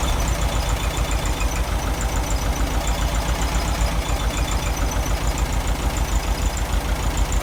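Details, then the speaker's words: VW Beetle with reproduction Kafer 34 PICT-3 carburetor replacing 30/31 PICT, after cleaning, still partly choked: low, lumpy idle, uneven beat around three pulses a second, mixture screw just turned out; won't settle. "I turned out the turned out the fuel mixture for the"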